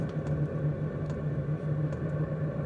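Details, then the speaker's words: Portable camping diesel heater, about six minutes into the burn: steady low fan drone with faint, evenly paced, fast fuel-pump ticks, just starting to ramp down toward the set point of one pulse per second; running normally. "it is ramping up now you can really hear the fan and in the background you can barely hear the fuel pump it's ticking away pretty fast now"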